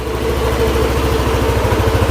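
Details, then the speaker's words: Yamaha NMAX scooter after repair of a tek-tek ticking noise, worn camshaft parts replaced: smooth even idle with a steady low putter and no ticking from the top end; sounds like new. "lagi pokoknya enggak ada ngeritik-ngeritik Bang untuk suara mah enak banget nih jos"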